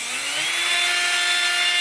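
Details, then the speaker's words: 3018 CNC upgraded brush-type spindle motor for PCB milling, run at 100% after 50% soft start: thin whine rises and holds high once at full speed; motor and bearings pushed to their limit, better when slowed. "you notice after the w got that little bit of that whne sound kind like you get from a shot back or something just pushing the motors and the bearings to the Limit"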